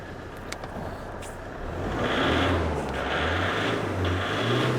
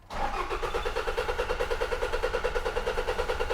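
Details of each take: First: 2006 Toyota Hilux 2.5 L D4D diesel, crank no start with no codes, run on a temporary bypass fuel feed: it catches after a short crank, revs and settles into clean, even surges. The fuel tank was found completely blocked. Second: 2006 Toyota Hilux 2.5 L D4D diesel, crank no start with no codes or engine light: starter churns evenly at about two and a half compressions a second, never fires, sounds dry as if no diesel reaches the engine.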